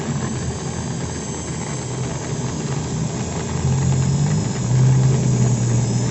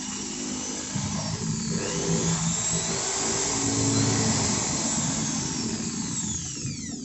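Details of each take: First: Maktec 10mm drill at slowest speed gives a rough, snoring growl that is absent at high speed; armature rubs a loose stator, making the body overheat; pressing the body's middle smooths the sound. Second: Maktec 10 mm corded drill (MT60-series) at its lowest speed after tightening the four centre body screws and adding packing: even hum with no rough growl, and expected no longer to overheat.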